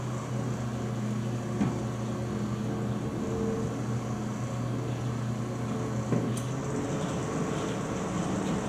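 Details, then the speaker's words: GE microwave started after sitting 5 years, 1 minute at power level 3: low transformer hum over fan drops out and returns as magnetron switches off and on; normal low-power cycling. "We'll go time cook, 1 minute, and we'll go power level, we'll go 3, just so you can hear the magnetron cycle on and off. So there it goes off again, which it'll be for a couple minutes, or seconds."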